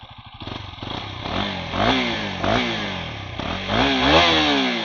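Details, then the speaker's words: KTM 250 Duke after service, with the tension problem fixed, which had been making noise and lagging at 9000–10000 rpm; several clean throttle blips with no chain rattle or clatter, now running normally. "So ಈಗ ಅದೆಲ್ಲ sound ಏನಿಲ್ಲ ಇವಾಗ ಚೆನ್ನಾಗಿದೆ actually"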